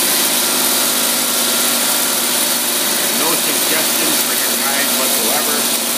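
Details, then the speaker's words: Holley tpot carburetor tested on a running engine in about 95-degree heat, choke off: even, steady idle without stumble, hunting or misfire after bowl refill check; carburetor judged perfect, normal carbureted idle. "the carburetor is perfect I'd love to give you your money back and just keep it gladly put it on somebody else's car"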